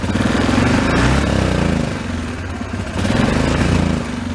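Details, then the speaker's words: 2003 Yamaha Kodiak ATV single-cylinder. The note surges and sags and breaks up instead of pulling cleanly; it will ride to about 15–20 mph but then just revs and breaks up, similar to the earlier issue. Bog from a rich fuel mixture. "kind of like what it was doing before but before you couldn't even move the machine like you could ride it it'll probably go up to about 15 20 mph but it'll just rev you know starts breaking up"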